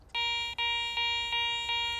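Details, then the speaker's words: Garrett ACE 400 metal detector (10 kHz) in discrimination mode giving steady high-tone beeps about every third of a second over a bottle cap, reading like a good target worth digging; a false high tone, with flanking iron grunts later revealed by iron audio. "That bottle cup sounds pretty good. It's reading high tone, probably something I would dig."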